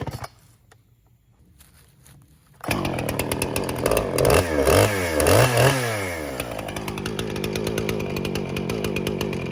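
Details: Husqvarna 455 Rancher chainsaw, unused about 3 years, after carburetor removal, cleaning and reinstall; crisp start-up, then clean, even revving that rises and settles under cut with no stumble or bogging; healthy saw.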